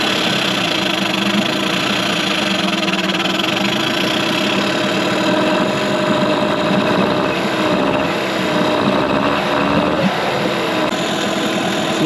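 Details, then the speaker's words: 2003 Mercury 15 hp two-stroke electric-start outboard in a test tank during first startup after restoration: earlier backfiring gone; steady burble at one speed with no pops or misses; owner suspects a vacuum leak; normal idle. "matter does sound like it's running much better now it's not backfiring anymore"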